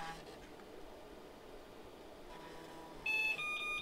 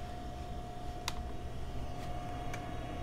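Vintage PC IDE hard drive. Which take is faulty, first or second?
second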